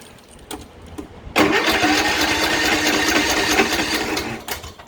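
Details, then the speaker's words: Troy-Bilt riding mower with Kohler Courage engine: starter turns engine over steadily about three seconds with no catch or firing; crank no start. "i'm going to show y'all step by step today how i'm going to diagnose this machine spins over won't start let's see exactly what's going on here"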